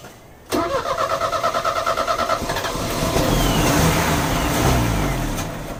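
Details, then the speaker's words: Euro-spec Mercedes 190E 2.0, 5-speed manual, fuel just added: about two seconds of steady cranking, then it catches and runs rough; it ran about 30 seconds and stalled, with gunky contaminated fuel found in the lines. "actually got it to start for about 30 seconds and it stalled I tooked all the fuel lines off to make sure we had pressure"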